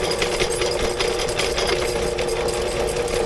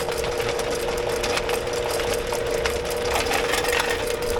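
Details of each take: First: Drain cleaning machine running properly while feeding its cable out into a sewer line after an earlier stuck attempt: steady motor whir with quick, even rattle from the spinning drum, no bogging or grinding; normal operation. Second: Drain machine cable in a house sewer line: steady motor hum with a constant mid tone and gritty chattering as the cutter digs through roots; the cable goes from loose and floppy to tight while cutting.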